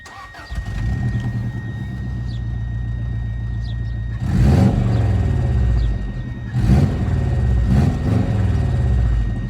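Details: JDM Subaru WRX GC8 just out of long storage: the engine catches and settles into a loud, raspy, uneven rumble with sharp blats on each throttle blip, caused by blown exhaust parts.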